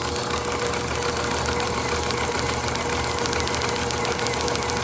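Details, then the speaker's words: IHC H4 magneto from a Farmall MD, overhauled for an International TD-6 crawler, spun on the bench: crisp, even snapping clicks keep pace with the drive, sparking every time the points open with no missed beat; healthy magneto. "That is like rock steady. I know on the video it's probably not looking as steady, but you can hear by the clicking that it is not missing a beat."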